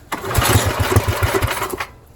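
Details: Tecumseh-engined Snow King snowblower after summer storage, fuel and oil drained last year, choke on and primed: a few popping beats, then it catches and runs steady and even; healthy start. The spark plug was later found heavily carboned.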